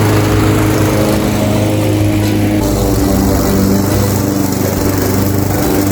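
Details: Craftsman 21-inch mower powered by a 5.5 hp Honda GCV160, bought reportedly not starting with a dry tank, cutting grass at level two: a steady, strong small-engine drone, no surging or misfire under load. Healthy; technically nothing was wrong.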